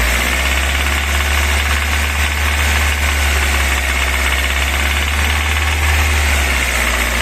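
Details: VAZ 21124 engine, 13,000 km since purchase, oil pressure 2 kgf/cm²: sharp ringing metallic knock at about 1500-2500 rpm free-revving without load, disappears under load, quieter when cold; unexplained engine knock.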